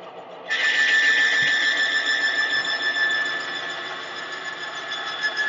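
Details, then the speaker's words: Timken bearing friction test rig with Castrol Edge plus Lucas full synthetic oil under about 35 lb load. A sharp, steady high squeal cuts in, then smoke appears and the bearing locks up: bearing squeal under heavy load. "start squealing at the same time about the same same amperage but this time you'll be able to see a little bit of smoke after we've added the Lo to"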